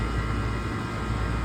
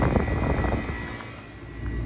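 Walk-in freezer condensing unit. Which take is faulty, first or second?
second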